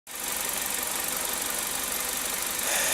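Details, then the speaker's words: Kia Rio G4EE engine just rebuilt, first run after repair: even, quiet idle with light top-end whir, no knocks or misses, no smoke seen; expected to use some oil until rings seat (~15,000 km): normal idle. "двигатель, значит, собран. 4ЕЕ двигатель, который был у нас на предыдущем ролике показан. Вот, работает он хорошо, тихо, дыма не наблюдается"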